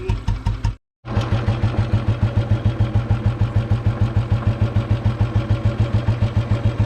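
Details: Bullet motorcycle restarted after possibly more than a year sitting, at idle. It dies briefly, then settles into a steady thump with a hard knocking edge. Owner says the rod noise began after a relative's ride of 2 km out and 2 km back and is clearly audible: suspected connecting rod knock.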